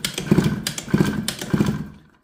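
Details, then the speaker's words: Suzuki Let's scooter with original cylinder, loose spark plug, won't start: cranking in even, light bursts about every two-thirds of a second with no compression bump; zero compression from a broken piston ring and damaged cylinder port. "нет никакой компрессии . Свеча зажигания — это лишь одна из составляющих ."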